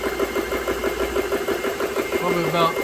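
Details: GX CS3 air compressor, about nine months old, after repair of breaker tripping: fast, even pumping thump with a steady tone, no knocks or rattles, filling under load; normal running.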